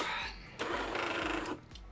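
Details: Jura A7 coffee machine after repairing a cracked brew unit (error 8), brewing a 70 ml espresso: even pump pulses about twice a second with a smooth motor whir. Brew cycle runs normally over about 25 seconds.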